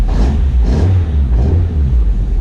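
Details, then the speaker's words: Ford Focus ST170 track car after the steering rack was fixed and refitted; fluid seems low and there seems to be some air in the pipe. The engine rises and falls with revs, and the power steering pump is not howling as it usually does after running dry. It sounds normal. "pump is not howling like it usually does after it's been dry. I think we might have success here, you know."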